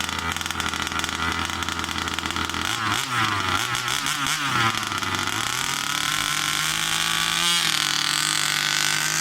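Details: New Rovan 36cc double-ring two-stroke in a King Motor Baja 5B, head gasket removed, warmed up then driven hard: buzzy, clean revving, pitch swooping with throttle, pulling strongly without bogging or misfire; strong acceleration.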